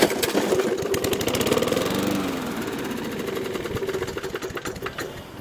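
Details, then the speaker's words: 1980s Snapper mower, Briggs & Stratton 3.5 hp, first start after long storage with old fuel, choke on: fires, chugs unevenly for a few seconds and stalls; confirmed a runner once the dirty carburetor is cleaned. "well that was a good start nope cration but we have confirmed that this is a runner once I get the carb cleaned out"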